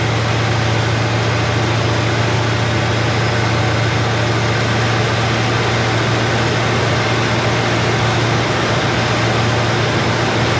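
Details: Chevrolet Nova Super Sport V8 idling after the distributor was replaced with a vacuum-advance unit; choke needs adjusting, good vacuum. Steady, even idle, deep constant hum, no misses, ticks or hunting: normal smooth running.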